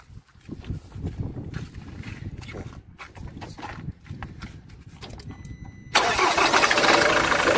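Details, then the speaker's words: Ford Transit test start after replacing the tensioner and idler pulleys: the engine cranks and catches, then a quick, fairly even knock under the idle is unchanged. A diagnostic shop then blamed the crankshaft pulley. "Как стучал, так и стучит. Мне кажется, ничего не изменилось."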